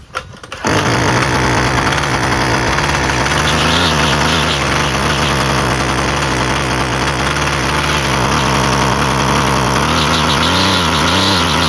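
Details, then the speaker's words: Husqvarna 128LD string trimmer after carburetor replacement, previously barely ran and never off choke; small two-stroke catches quickly and holds a steady, even idle off choke without stumbling, fixed. "Sounds good. And then to turn it off, you just press that, and it's fixed."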